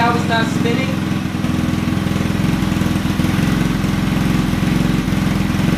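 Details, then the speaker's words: Honda Ruckus scooter with GY6 motor, hard starting; putters at idle about three to four beats a second, slightly uneven; owner says not perfect until it cycles. "you know I have to go through a little cycle first if it is the Chinese motor so it's not going to be perfect"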